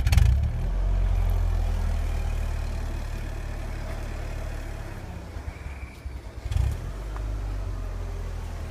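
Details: 2001 Ford Focus petrol engine idling with a low, uneven chug that stumbles instead of running smoothly: engine misfire with rough idle.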